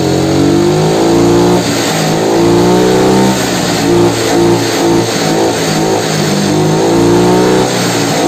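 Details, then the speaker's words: Yamaha Mio carbureted scooter running with the air filter removed: revs swing up and down instead of holding steady from low through mid to high rpm, because too much air into the carburetor leaves the fuel-air mixture lean. "nah disini masih agak sedikit mengayun ya dari RPM bahwa sampai RPM Tengah dan juga ke atas berhubung disini itu filternya enggak ada ya teman-teman ya jadi angin yang masuk ke karbu itu terlalu banyak sehingga campuran antara bensin dan juga angin itulah enggak seirama gitulah guys"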